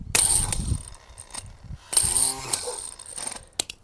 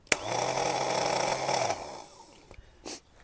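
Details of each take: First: New replacement starter for a Craftsman riding mower, bench-tested: short whirring bursts with a ratcheting click as the drive gear throws up to engage and drops back. Normal engagement and retraction. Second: Craftsman riding mower starter for a Kohler engine, removed and bench-tested by touching the positive lead: a rough, gravelly whir of about 1.5 seconds; the starter spins but the spiral bendix gear stays up and won't retract, so the starter needs replacing.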